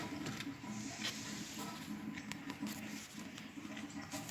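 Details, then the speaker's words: DIY boiler and radiator heating system during initial commissioning: irregular bubbling and low burbling over a steady hiss as water gurgles down the overflow pipe into a bucket. "think you can hear the gurgling that's the other that's the overflow pipe into the yellow bucket"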